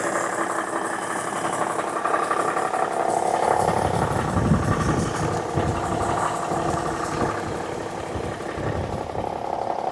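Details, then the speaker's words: Parts-donor semi truck, diesel thought to be a big-cam Cummins, idling after fuel system priming with about 40 psi oil pressure: steady, even clatter with no knocks or misses; sounds healthy. "Like about 40 pounds of oil pressure at idle. It really doesn't sound too bad at all."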